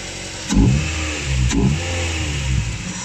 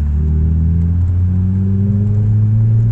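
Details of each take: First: Track-prepped Ford Mondeo Mk3 race car started after sitting two to three months: engine catches and revs in uneven bursts, then settles into a lumpy, dirty, misfiring idle; rough running after storage, cause unconfirmed. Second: Ford Mk3 Mondeo track car, unmoved for months, with rusty brakes: deep, even engine hum rising slowly under light throttle while driving, no knocks or rattles; sounds healthy.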